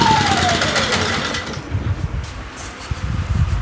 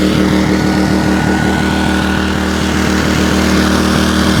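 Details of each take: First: WEN 56200i 2000 W inverter generator surging slightly, its pitch sagging then steadying unevenly, traced to a clogged low-speed idle jet. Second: WEN 56200i 2000 W inverter generator after its hidden low-speed idle jet under the servo unit was cleaned: the engine runs at an even, steady speed under a light load, no longer surging, with output at 123 V and 60 Hz.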